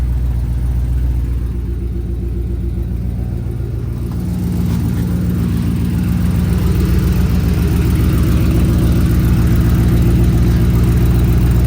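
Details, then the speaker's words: Race car engine running with a rapid, regular puffing tick over a deep rumble from an exhaust leak, later confirmed leaking and fixed. "Dang it, now it definitely sounds like it has an exhaust leak."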